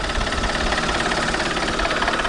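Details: Alfa Romeo 159 1.9 JTDM diesel after new turbo fitted, intake pipe not yet on, so it could not be revved: steady, even idle clatter with no misses, knocks or surging; healthy-running and quiet for a diesel.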